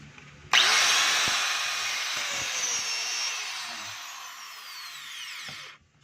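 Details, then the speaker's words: DeWalt DWE8300S 4-inch grinder, brushes still long: high motor whine that sags and drops in pitch as if dragging and catching; noise traced inside to the armature, armature bearing failure. "So pigil po siya mga kabay. Para siyang ano, parang may sumasabit."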